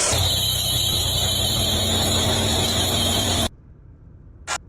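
A shrill, steady squeal rides over a running engine, typical of a worn accessory belt slipping on its pulleys.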